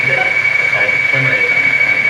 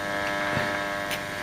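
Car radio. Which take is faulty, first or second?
first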